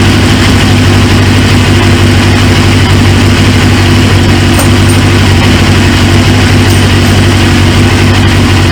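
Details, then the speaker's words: 1999 Suzuki GSX-R 750, newly fitted used engine: loud, deep, even idle holding steady throughout with no misses, knocks or hunting; healthy running, though fuel leaks from the high-pressure line quick-connect at the tank, suspected O-ring. "but once that fuel pressure built up man she fired she fired right up"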